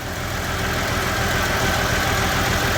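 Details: Massey Ferguson 1105 tractor, 6-cylinder Perkins diesel, first start after about 10 years sitting, with a rebuilt injection pump and new filters. A steady, even diesel clatter at idle, about three beats a second, smoking, with no misses or knocks. It has oil pressure and a healthy idle.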